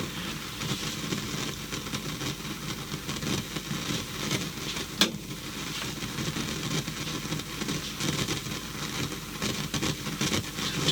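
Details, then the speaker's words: 1970s Sanyo DC-620XK radiogram, speaker with volume turned down and no program: constant hissy, crackly hash; amplifier suspected faulty, cause not confirmed. "so we got some hash something in the amp's not happy never a good sign when they make that noise"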